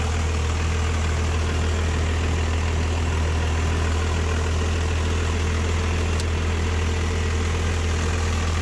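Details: Rebuilt 5.9 Cummins diesel pickup swap just started cold after a jump and about 8 cranks, no starting aids or throttle, two 5-year-old batteries; steady low drone at an even idle, no misfires or hunting, running healthy.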